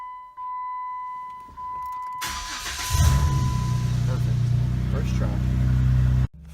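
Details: Jeep with starting troubles, right after a new battery was installed and terminals tightened: warning chime, brief crank, engine catches promptly and settles into steady idle; starting normally now.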